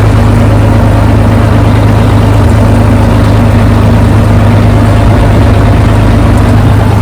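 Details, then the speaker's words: Tractor with PTO-driven topper, after repairs and months unused, PTO engaged at full revs: steady deep engine drone, even and unbroken, with wind noise over it; normal running. "Just put the PTO on, put it up to full revs, tested it, so I'm just going to go down to a track that I know that there's nothing on, no stones, nothing like that, and just give it a try down there."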